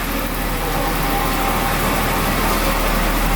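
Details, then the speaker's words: Daimler (Jaguar-family classic) with 220,000 km, little used for the last couple of years, just picked up; oil pressure came up nicely and it idles with a steady, even hum, no knocks, misses, surges or smoke: normal idle. "Seems to be running really nice and smoothly."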